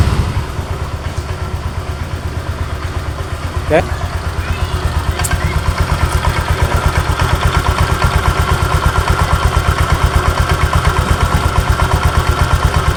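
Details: Honda Vario 125 scooter at idle: steady idle with a regular loose tak-tak knock, about a hundred per minute, that disappears when revved; from the CVT front pulley, with a worn roller housing bushing and dented rollers.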